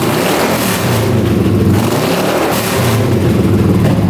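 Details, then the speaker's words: 1981 Honda CX500 café motorcycle, left sitting in a basement for years, revving: ragged V-twin with stumbling note and pops. Irregular running; owner suspects a worn accelerator pump diaphragm and the airbox setup versus pod filters. "you can hear it popping pretty good we can try putting the Pod filters back on see if that makes a difference but it's popping through here usually m"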